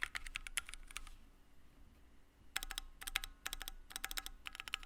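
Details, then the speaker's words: Keychron Q1 75% keyboard with aluminum case and plate, gasket mount, Gateron Phantom Red switches, case foam: fast typing with a faint metallic ring after keystrokes and hollow tone, lots of ping and hollowness. "However, I did notice that there was a lot of ping and hollowness to this keyboard, and let me demonstrate that to you with knocking on the case."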